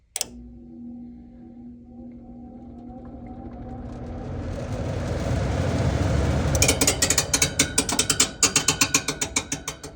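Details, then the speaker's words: Old furnace blower spins up with a rising rush, then a fast, regular scraping screech at speed; blower wheel loose, scraping the housing. "See if there's something stuck in the blower or blower wheel is out of balance."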